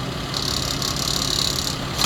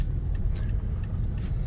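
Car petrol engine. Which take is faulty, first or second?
first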